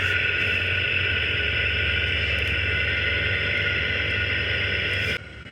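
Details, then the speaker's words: 2018 Ford F-150, wireless chassis-ear transmitters clipped to the front hubs while driving: loud, rough, constant rushing growl with low throbbing rumble from the passenger-side front hub (channel 2); worn aftermarket front wheel bearing, OEM driver side quiet. "I mean, that's a pretty telling sign that it is bearing 2, which is the passenger side."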